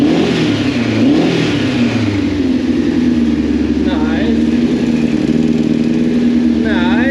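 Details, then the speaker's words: 2002 Yamaha FZ1 1000cc, first start in 8 years after tank cleaning and a new petcock, idle turned up: clean revs rising and falling smoothly; runs healthy. "The big fires right up though. That idle is sick."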